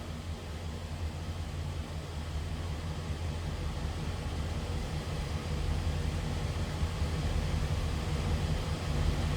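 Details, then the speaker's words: 1965 Cadillac DeVille convertible with 429 V8, heard from the rear at idle: quiet, smooth low rumble from the tailpipes, no puffing, ticking or leaks; normal, not over-the-top exhaust. "Sounds as you would expect. Nothing crazy over the top for exhaust."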